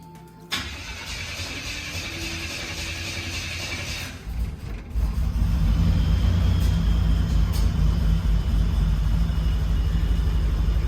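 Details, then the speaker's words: 1984 Buick Grand National after Turbo Tweak injectors, chip and 87 ECM (1227148) swap, meant to fix starting hesitation: quick crank, catches, low even idle holding steady; check engine light on, IAC and TPS later adjusted; normal start and idle. "right it's holding an idle got a check engine light looks good sounds good"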